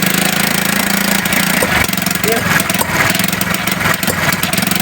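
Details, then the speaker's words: 70cc motorcycle idling unevenly, stumbling and cutting out irregularly before dying; misfire traced to a shorted spark plug, cured by fitting a new plug. "आवाज़ सुन लें, ये एकदम ही घुड़प घुड़प ये बंद हो गई। यानी कि यही मिसिंग का मसला है।"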